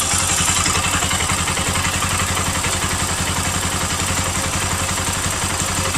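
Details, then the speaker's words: Bajaj Pulsar NS200 after repair, coolant-leaking gaskets replaced: steady even idle thump around three to four beats per second, former strange metallic sound gone, no coolant from exhaust; normal idle. "motor está completamente en silencio ya no tiene ese sonido rarísimo ese sonido ese sonido metálico que tenía y ustedes pueden escuchar la moto se mantiene prendida perfectamente"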